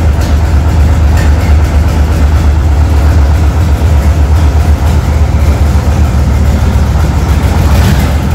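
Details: 1976 Tatra 813 V12 diesel at its first start after about 20 years, after the head was removed, the cylinders and pistons cleaned and damaged parts replaced: a deep, even rumble that holds steady with no knocks or misses, a smooth, normal idle.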